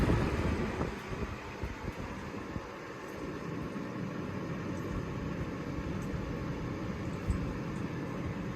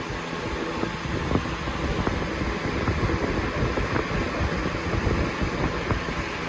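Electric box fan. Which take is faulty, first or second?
second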